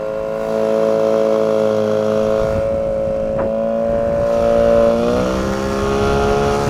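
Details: 9.8 outboard motor with a 'brake-like' whistle whose cause the owner is asking about. A steady high squeal rides over the running note and climbs slightly as revs rise: squeal while running, source unknown.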